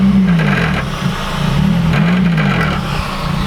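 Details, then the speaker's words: Honda Civic Type R exhaust: low droning exhaust with an uneven tinny buzz at a few beats per second, from the heat shield above the mid resonator having dropped down, a common fault on these. "that is because where my mid resonator is there's a heat shield above it and it's dropped down, which is a common fault on these."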